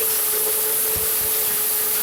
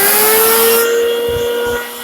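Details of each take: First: Farmer IZE-05 grain grinder set to its coarsest grind, with corn poured in volume: a steady mid-pitched motor whine shifts and wavers as grain feeds in, then sags and winds down; the motor bogs under the corn load. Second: Farmer IZE-05 grain grinder grinding wheat: loud, steady motor whine at even pitch while grain feeds through, with no knocks or rubbing; working normally.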